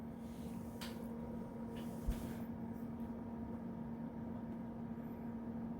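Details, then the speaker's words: TLA 5204 unit booting Windows 2000 Professional via external display: steady fan hum with a faint constant tone and soft hard drive clicks; fans and hard drive running normally. "oh okay windows 2000 professional and it sounds like everything's running good in the background i heard the hard drive clicking away fans running got our desktop"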